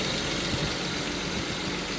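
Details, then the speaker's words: Volvo 164E with D-Jetronic injection, after new injector wires and cleaned-up wiring: steady, even idle with a smooth hum, no knocks, misses or hunting. Runs better than ever, normal idle. "And now she runs better than ever."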